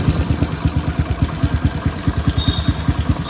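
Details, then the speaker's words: Hero Splendor motorcycle idling after a timing chain noise repair: even, low exhaust thump with no ticking or chain rattle, engine now silent and running normally. "Time engine के sound में आपको बिल्कुल भी आवाज नहीं आ रही होगी आप बिल्कुल चेक कर लो बकुल साइलेंट इंजन हो चुका"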